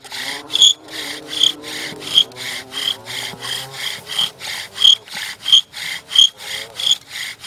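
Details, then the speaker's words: Bow drill fire set, first-timer after retightening string and speeding up: rhythmic rasping grind about ninety strokes a minute, crisp and even, no squeak; spindle biting and notch filling with dust normally. "Now you can hear it starting to grind. That dust should be filling up pretty fast now."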